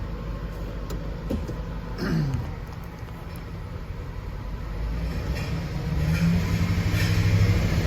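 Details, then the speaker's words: Ford engine under load: deep rumble with uneven stumbling pulse, dead miss on cylinder 4 seen at idle and still present at 1800 rpm, much worse under load; coil and injector connections already checked. "Under a load, it gets way worse."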